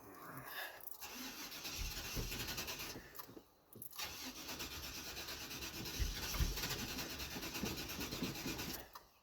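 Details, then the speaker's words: Cadillac Fleetwood on a cold start after coolant valve to heater core work: fuel pump heard, starter churns steadily for several seconds but never fires; cranks but no start, OptiSpark distributor failure suspected, battery also doubted. "Oh, for God's sakes, what the hell's going on? This is actually the first time where it's refused to start."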